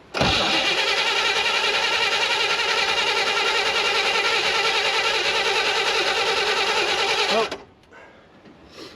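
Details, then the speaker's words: 1960 Chevrolet El Camino unrun since 1998, after installing a new coil and cleaning the points, fuel squirted in; an even starter churn about three turns a second for seven seconds, never catching, still no spark. "Let's check spark again. Yeah, it doesn't sound like it's trying to, but let's give it a shot. Still no spark."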